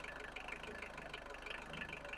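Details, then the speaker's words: 1991 Vauxhall Astra van restarted after about 10 years sitting, running off a gallon of fuel because the tank line is blocked (pickup sock suspected): steady even diesel clatter at idle with regular firing pulses and no knocks or misses; running normally. "but oh it's running it is running so we'll keep at it a minute and see if we can keep it going and see if we can move it"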